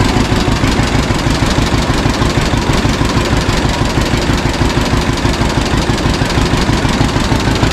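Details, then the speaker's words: 1952 John Deere G two-cylinder tractor, first start in several years after draining fuel from wrong tank and fixing leaks: slow, even putt about three beats a second, no misses or knocks; smooth normal idle. "scratcher always did idle down really good outside there"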